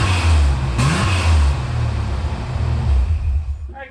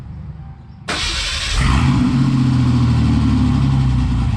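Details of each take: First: 1988 Ford Bronco II V6 with a muffler temporarily slip-fitted, unclamped: deep, even rumble that revs cleanly and settles, cold; the earlier exhaust noise is gone. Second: 1988 Ford Bronco II V6 starting into a loud, choppy, deep rumble at idle with no muffler fitted, still with two catalytic converters; sounds like a small V6.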